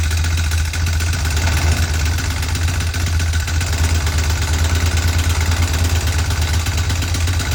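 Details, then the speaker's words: Marketplace motorcycle, first start with fresh gas, oil, battery and air filter: smoking, rough lumpy idle with quick light top-end clatter, not rod knock; owner suspects valve clatter; worn camshaft and rocker arms. "definitely smoking I don't need to be turned up for sure doesn't sound like rod knock sounds like something"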